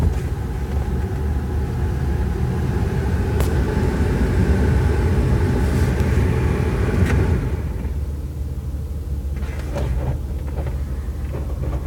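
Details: Alfa Romeo 156: a deep, rough drivetrain rumble that goes away when the clutch is pressed; the cause is not identified.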